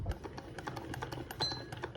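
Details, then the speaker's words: 1925 Singer 99 sewing machine, being restored, reconnected to the balance wheel: quick, even, light ticking of needle bar and linkage; runs freely and sounds healthy. "I love the way the machine sounds and feels working with it I feel very connected to it when I'm using it"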